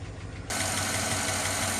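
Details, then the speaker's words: Chevy 5.3 V8 first start after timing chain, tensioner and oil pump replacement, oil pressure confirmed: fast light ticking over idle, loud at first then quieting; lifter clatter that stopped once lifters pumped up. "Just as we were doing an outro, the lifter quit clattering, so."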